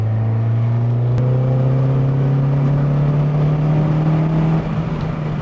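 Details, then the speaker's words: 1989 Honda Prelude Si on faster road, previously cutting out near 4,000 rpm: engine pulls up smoothly with steady rising drone, no stumble or cut-out; healthy under acceleration. "yeah yeah it feels really good the focus of this project was to get the car running right and we did mission accomplished"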